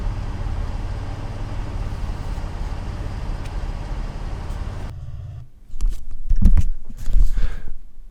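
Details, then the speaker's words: Toyota MR2 after exhaust leak repair: deep, steady low exhaust rumble with no ticking or puffing, then the engine cuts; exhaust sounds sealed and healthy. "That sounds sick."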